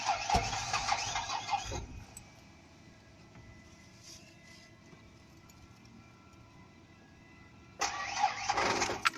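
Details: Truck with a battery drained overnight by headlights left on; two bursts of sluggish cranking with keys rattling, engine never fires; slow crank, no start, dead battery.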